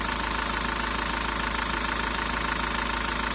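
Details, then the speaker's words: 1.9 dCi diesel at idle after cleaning the sensor: even clatter about three pulses a second, no rise or dip; earlier revs floated, it jerked and ignored the pedal. "в принципі працює вже більш-менш рівненько нема таких різких ніяких скачків працює як працює нічого лишнього немає"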